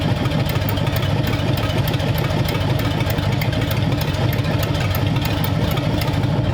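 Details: Freshly built hopped-up flathead for a 1932 roadster, about 10 minutes into first running, oil pressure around 70 psi, temperatures 170–177: steady, even idle with a quick, regular exhaust beat and no knocks or misses; minor fuel seeping at seals.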